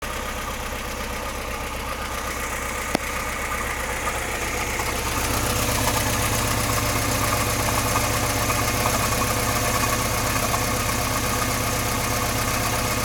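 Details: VAZ 2106 at idle, timing chain just replaced and tensioned: steady knock about four per second, sounds like rod bearings but unchanged when pulling plug leads; source unclear, bottom end or valvetrain.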